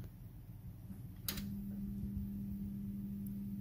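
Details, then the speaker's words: Glowworm Ultimate 40FF boiler, front and combustion covers off, fan heard on demand: steady low electrical hum without spinning-fan whoosh, fan barely turning; seized fan motor needing replacement. "so that's the humming noise anything barely turn so we'll check that"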